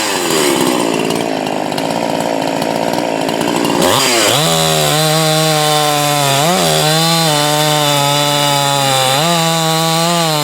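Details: Husqvarna 345 converted to a 350 with a finger-port open-port cylinder; after inconsistent running it got a carburetor with a purge circuit from a later 350. Cutting under heavier load, it screams high and steady, sagging as it bites and recovering cleanly.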